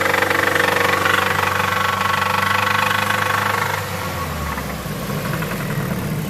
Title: Mazda 3 2004 knocking noise